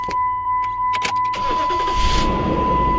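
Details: 2006 Dodge Dakota 4.7 L 4x4 after starter replacement for a clicking no-crank; chime ticking, a few quick cranks, then the engine catches and settles into an even idle; starter healthy. Normal cranking and start.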